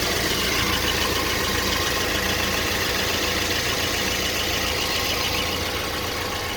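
Busy idle with a light tapping knock, about three to four a second, coming and going; intermittent engine knock, source not pinned down.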